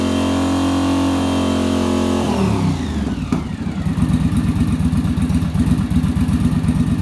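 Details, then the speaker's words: Yamaha Virago V-twin held at rpm with fan cooling, checking center link carb sync; high steady rev drops smoothly to lumpy but even idle with regular pulses; carbs balanced, little adjustment needed. "there we go so actually for this bike it doesn't need much adjustment"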